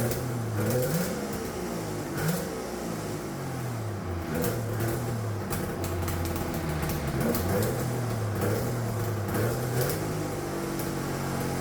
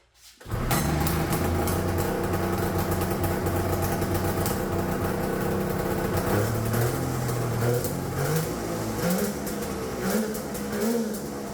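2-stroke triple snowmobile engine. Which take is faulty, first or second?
second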